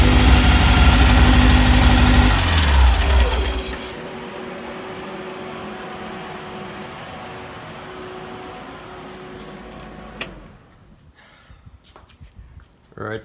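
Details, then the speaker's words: VW air-cooled 1835 flat-four with new 44 carbs and K&N filters, 120 cam, stock rockers, straight-cut gears and Bugpack stinger exhaust: a deep even rumble revs and settles to a smooth idle with no knocks or misses, running healthy. "that's what the motor sounds like with the new cars on"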